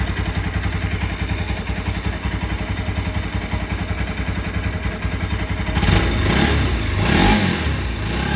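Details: Bajaj Rouser 200 NS single-cylinder idle with a quick, uneven ticking clatter on each beat, louder with a throttle blip; strange engine noise, source undetermined.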